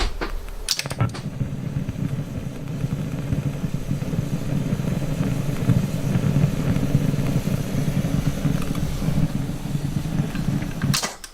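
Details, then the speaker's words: TEAC A-2300SD reel-to-reel, left channel fault routed to right, record-pause, monitor on tape (silent on source): constant low rushing hum with hiss; noisy component somewhere in record electronics, not yet found. "so um sounds like a noisy component obviously somewhere"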